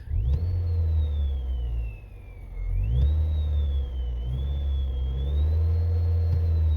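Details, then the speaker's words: Saturn ION with a cheap 7-inch touch-screen double-DIN head unit, engine running: buzzing whistle through the speakers that rises and falls with engine revs; electrical noise, possibly wiring or cheap unit, cause unknown. "when the engine is running you hear this buzzing noise going through the speakers and when I rev the car that noise revs up with it"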